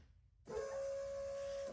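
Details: Toyota Tercel 4WD with DOHC swap, off the road 3–4 years; fuel pump tested with power and a fixed ground after a frayed ground wire: steady, clean high hum running evenly about a second; pump works normally.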